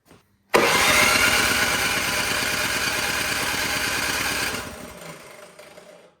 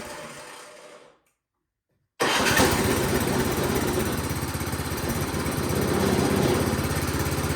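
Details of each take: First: Toro PowerMax 7240E snowblower, sat 4–5 years after one use, primed, full choke, electric start: starter whirs steadily about four seconds with no firing, then winds down; cranks but won't start. Old gas clogging carburetor suspected; fuel valve possibly closed. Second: Toro PowerMax 7240E snowblower that sat 4–5 years with old gas, running after carburetor work with the carburetor only partially bolted on: catches after a short crank and settles into an even, steady chug with no misses or knocks; normal running.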